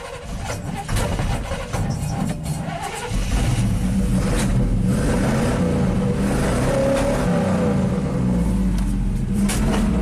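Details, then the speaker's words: 1987 GMC Sierra V8 plow truck that idles fine but stalls when given gas: revs unevenly with sharp backfire pops and a stumble off idle. Fuel pressure holds, so spark is suspected. "There's some backfires there. Fuel pressure does not drop. Okay. So now the only variable left is spark and spark timing. It's not happy."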